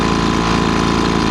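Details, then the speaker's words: Poulan Pro 25cc 210 mph gas leaf blower (BVM210VS/SM210VS) after a carburetor replacement, running in snowy weather. Quick, even two-stroke putter with no misses or surging; the top and bottom end sound good, so no adjustments are needed. "It sounds really good. Top end is really quite fast. Top end sounds good, bottom end sounds good, so I'm not going to do any adjustments."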